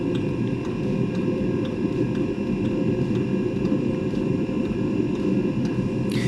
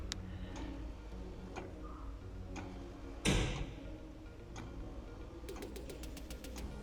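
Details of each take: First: Eberspacher Espar D2 diesel heater, stored fan error 33: even blower roar with soft fuel-pump tick about twice a second, heater starting and running normally. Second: Eberspächer Espar D2 heater; blower fan held by hand to simulate the case touching the fan, which stopped it starting; steady ticking, a clunk, fast clicking, no fan spin-up, repeated attempts, then error 33; start failure with blower fan blocked.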